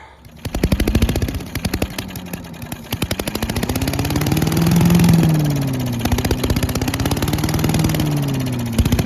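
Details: Old Giant Vac leaf blower with a 1982 8 hp Briggs engine, long stored outside, on a cold day. After water was cleaned out, it buzzes with crisp even firing and revs swell and ease smoothly: normal running.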